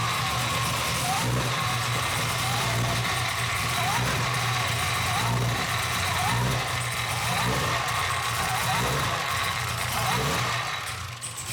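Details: Cadillac CTS-V V8 at first start with BTR Stage 3 cam and new valve springs, no tune yet: idle keeps hunting, rising and sagging every second or so, never steady; no leaks, surging from the untuned cam.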